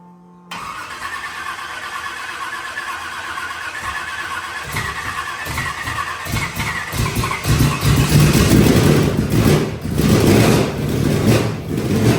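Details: Carbureted burnout truck being rebuilt for a competition, with timing possibly still slightly off. A long crank, then it catches and stumbles, surging and sagging with uneven firing. The owners conclude it is a fuel issue, with one side of the carburetor starved.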